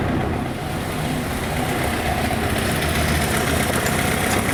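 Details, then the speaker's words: Street car engine running on used 40 mm Italian Weber carburetors that were hot-tanked and mildly rebuilt, after intake-mount problems: a steady, even idle with a smooth low beat, the motor no longer shaking; healthy. "didn't get crazy with them because at the end of the day this is just a street car that needs to behave far better than it was but as you can see that motor isn't shaking no"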